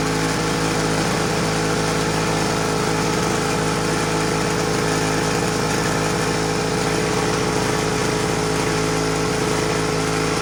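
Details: Homelite HRA 42V 115 V 1500 W two-stroke generator, on a rich oil mix, holds a continuous steady buzzing drone with no misses or knocks; running normally and reliably.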